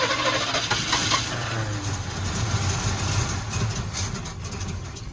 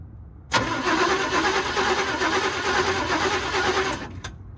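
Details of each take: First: 1962 Chevy pickup, parked 20 years, cranking with both float bowls overfull and a stuck needle suspected. Uneven cranking at about two beats per second with ragged tries and no catch; the carburetor is flooding. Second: 1962 Chevrolet pickup, sidelined 20 years and last run on propane, starter engages sharply and cranks the engine through poor wiring at an even, healthy rhythm for about three and a half seconds without firing; normal starter cranking.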